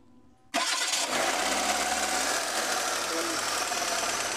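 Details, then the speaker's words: 2011 Hyundai i10 after overheating repair, intake, exhaust and timing belt refitted, first start: fires on the first crank into a smooth, steady idle with no stumbling or knocking; normal start and idle, then checked for overheating. "Ngayon mga boss ay paandarin na natin. Paandarin natin yung makina kung okay na ba mga bossing."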